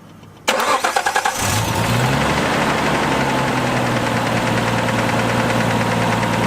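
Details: Nissan R33 Skyline turbo with new Splitfire coil packs and plugs, after fixing a shattered, half-connected coil pack plug. Brief crank, clean catch, steady even idle with no misfire or stumble; issue fixed.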